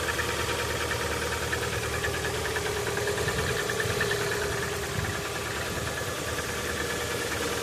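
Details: Lada Vesta cold start at sub-zero temperature: cold idle with a fairly regular tapping, roughly three per second, over the engine note; engine knock present when cold.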